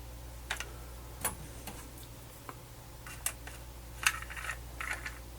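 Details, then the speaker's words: Harman Kardon CD491 cassette deck playing a tape: irregular crackly clicks and rustles over a low motor hum, source not located; a crinkling noise during playback, and the owner fears the tape is being chewed. "don't know what I don't like is this noise which I'm not following where it's coming from it's like crinkling hope it's not messing up the tape"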